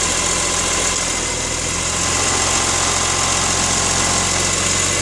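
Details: BMW S54 engine idling with a harsh, gritty grinding rattle over the low hum; cause not stated.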